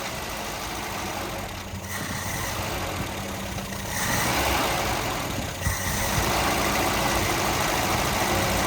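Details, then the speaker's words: 1971 Volvo 142, B20B engine, 32/36 carburettor, fuel just added: it runs, but the revs sag and surge unevenly as it struggles to keep going. Stalling at idle; owner suspects a clogged carb needing adjustment. "it's running it doesn't uh it doesn't want to stay running though so it's definitely might it might have a clogged carb might need adjustment"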